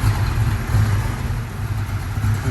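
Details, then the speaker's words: 1967 Ford Mustang, rebuilt 289 V8, C4 automatic, dual exhaust, fresh aluminum intake, 51,385 miles; steady, even low rumble at idle with no knocks, misses or ticks: normal idle. "Fresh aluminum intake as well. Sounds good. This baby wants to go."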